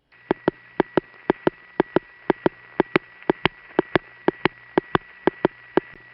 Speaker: now I'm going to electronically remove the tics and let you hear the power supply noise of the East 150th Street building from this very same phone call